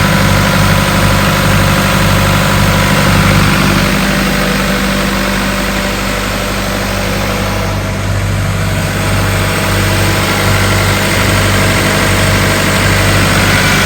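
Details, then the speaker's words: 1996 Ingersoll-Rand air compressor, diesel engine, 1006 hours on meter, gauges working: steady, even diesel drone holding one speed, no knocks, misses or rattles; engine runs healthy and makes air. "well i told you the motor sounds good it's making air all the gauges appear to be working"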